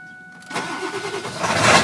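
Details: 1999 Ford F250 Super Duty 7.3 Powerstroke diesel, 254,972 miles, on Rotella T6 5W40: brief crank then clean catch into steady even clatter, no misfire; starts and runs great, no blow-by.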